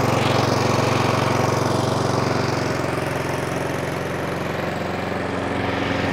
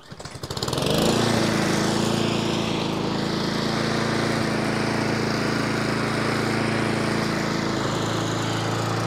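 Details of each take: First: Brand-new Honda Izy mower, GCV145X engine, about three weeks old and used twice: rapid single-cylinder chatter whose speed sags and recovers instead of holding steady, engine hunting. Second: Nearly new Honda Izy lawnmower, GCV145X engine, after carburettor service for hunting and fresh fuel: quick start, then a steady, even buzz with no surging or hunting; normal running.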